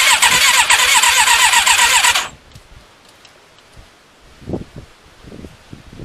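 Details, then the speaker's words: Thunderace motorcycle, stone cold, fuel primed: starter spins steadily at about four turns a second for two seconds and never catches; cranks but won't start, owner thinks the battery is going flat; fuel tank tap also leaking. "right obviously it's not fired i think the battery's getting flat so i need to let me hook up another battery"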